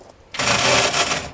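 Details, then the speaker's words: Car just loaded on a trailer, on cranking: a harsh metallic grinding clatter for about a second with no catch. Starter or flex plate is suspected, not confirmed. "Our starter is junk. Or our flex plate's junk. One of the two."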